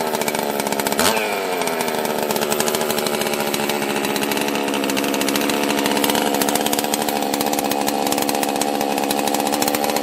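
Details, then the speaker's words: Husqvarna 261 chainsaw first start after a locked-up carb, broken choke and stuck throttle: catches and settles into a high buzz that wavers and hunts unevenly, running really weird; cause unknown. "it's running really weird so i'm gonna try to let you decide if you can figure out the problem and then we'll probably fix it on the next video"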